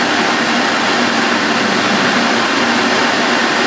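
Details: Refurbished vintage Electrolux 4x4 vacuum cleaner with new filters and bag fitted, boost on max: smooth, steady, high rushing whir with even pitch and no rattles or grinding; vacuum motor sounds healthy.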